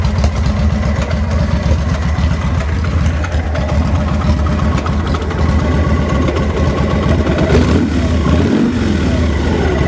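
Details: 2000 Victory V92SC V-twin: deep, lumpy idle whose beat wanders and falters, idling rough and close to stalling.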